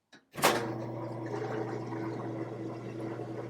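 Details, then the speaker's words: Top-load washer after repair of its lid switch, whose actuator had fallen inside, leaving it unable to spin or drain: the lid thumps shut, then a steady, even motor hum with no grinding or stalling. Normal spin and drain after the fix. "So now it's plugged in, I'll close the lid. And it's spinning and draining. All right. So it was the lid switch."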